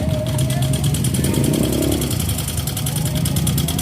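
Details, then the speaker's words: Yamaha Mio M3 125 kick-started as the electric starter no longer works, hard to start: rough idle with a fast light tick steady with engine speed, not from the CVT; valve train ticking from rocker arms worn by oil starvation. "untuk suara mesin yang seperti ini itu bukan berasal dari bagian Sipi atau bagian sambelnya guys"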